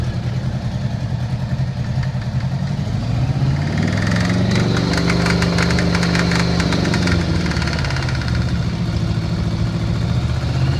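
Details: 1982 Honda GL1100 motorcycle engine idling, revving and settling: a sharp ticking knock that quickens with revs.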